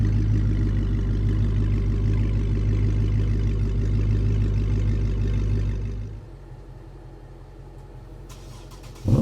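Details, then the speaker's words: Flood-damaged auction 2007 Chrysler 300 SRT8 with the 6.1 V8, running after repairs: smooth, even idle with a steady low rumble, no misses or knocks, then the engine winds down. Normal idle. "Oh, that is so good. That legendary 6.1. Listen to that. Oh, it sounds so good."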